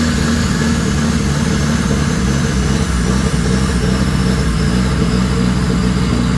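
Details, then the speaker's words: Dodge Daytona Turbo engine running: strong, smooth note rising and settling with revs, faint turbo whistle on top; engine runs well. "So, as you can tell, that actually runs really good. You can actually hear the turbo whistling. So, this is a good engine, I think."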